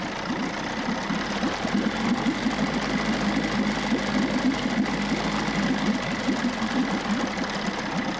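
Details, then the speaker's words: Busy, buzzing two-stroke at an even pace, about three beats a second, no stumbling: 1994 Johnson 6hp outboard with thermostat removed running fine in gear, pumping good water; shifts okay. "Pumping good water. It's actually idling really good too."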